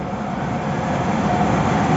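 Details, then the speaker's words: Trane 5-ton packaged unit fan motor tested on direct 220 V supply, fan only: smooth constant hum and airflow, no grinding, rubbing or wobble; draws 5.8 A against a 7.4 A nameplate rating; running healthy. "Bali, ang amperahe niya is 5.8. Pero ang motor, nakalagay sa motor 7.4."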